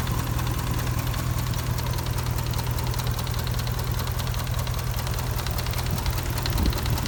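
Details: 2004 Dodge Ram 4.7 V8 with a persistent cylinder 8 misfire since purchase: a light, regular tick about 2.5 per second over a steady idle. A shop could not identify the cause.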